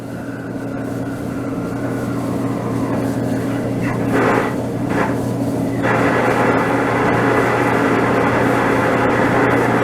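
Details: DE-N35FY clothes dryer with severe abnormal noise before belt replacement, cleaning and lubrication: continuous rough rumble with a clattering rhythm that grows louder midway from the drum drive.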